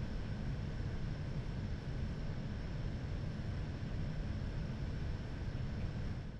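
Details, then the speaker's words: Zotac GTX 980 Ti AMP! Extreme graphics card, fans being stepped up in 25% increments toward full RPM, other PC components audible: soft, steady airflow rush with no whine or buzz; no coil whine heard. "I have recorded the audio of the card without the fan spinning then increase them by 25% until at full RPM"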